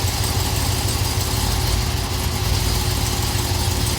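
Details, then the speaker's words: Camaro after the rear-end thrust washer TSB repair for a click noise, shifting between reverse and drive while held on the brake: smooth, even idle, slight movement, no clunk. Noise gone, normal driveline engagement. "Reverse. Drive. Okay, the noise is gone. Reverse."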